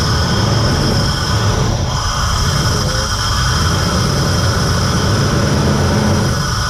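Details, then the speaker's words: VN Commodore that sat for years and ran poorly, started after wiring repair restored 5 V to the throttle position sensor (0.5 V idle, 4 V full throttle); even, steady low idle rumble with no misses, surges or knocks. "so I guess we'll just just fire it up see if it runs an idols getting excited"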